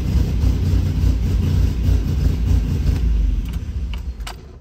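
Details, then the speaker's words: MGC-GT just out of storage, choke pulled, aftermarket fuel pump ticking, no working alternator: the engine catches and runs with a rough, uneven low rumble and a couple of blips, then settles and fades. Engine starts and runs, no obvious fault. "the engine does run and I have an idea on how to get by without an alternator"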